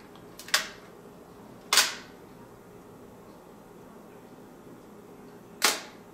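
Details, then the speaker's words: Mamiya M645 1000s film camera bought for parts, shutter set to a four-second exposure: a sharp click opens the shutter and a second click closes it about four seconds later. Timing is correct; normal shutter timing. "that was four seconds the timing seems to be right let's try one thirtieth of a second that was fast"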